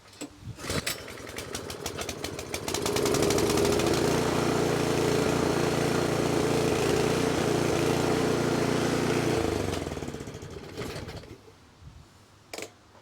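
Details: 24-inch snowblower small single-cylinder engine that sat two years and wouldn't run, after carburetor cleaning: starts and holds a fast steady run with an even beat, then winds down; dirty carburetor fault cleared.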